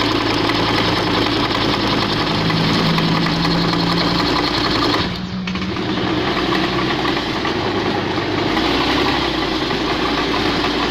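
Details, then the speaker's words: Honda Beat FI scooter with overly extreme (racing) CVT rollers: rough CVT noise and a strong, shuddering vibration on take-off, an uneven judder as it pulls away. "Selain itu saat angkatan yaitu bergetar kencang nah seperti ini bergetar Hebat"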